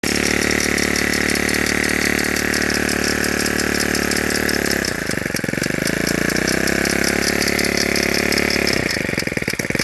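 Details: Ryobi S430 4-cycle: a fast light ticking rides over the buzzy high idle, dipping and recovering with throttle. Annoying clicking while running, cause unknown.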